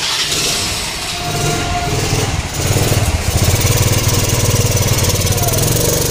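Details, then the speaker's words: Honda Activa (3G/4G/5G) scooter whose sound has changed markedly from normal: engine runs rough and loud with a coarse, uneven clatter over a deep drone; cause not pinned down. "Ajay को कि आज की मेरी video में मैं आपको बताएंगे कि एक्टिव हमारी काफी नाराज वगैरह कर रही है जैसे हमने आप स्टार्ट गिरी इस की आवाज में बहुत ज्यादा डिफरेंस आ रहा है कुछ"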